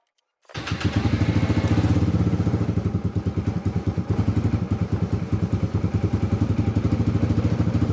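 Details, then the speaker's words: Motorcycle with a slow, hard start, fitted with a new 12 V 6.5 Ah lithium battery with higher CCA: quick, even cranking builds straight into a steady beat; fast cranking and easy start. "พอลองสตาร์ทรอบจะไวมากนะครับสตาร์ทง่ายขึ้นนะครับ"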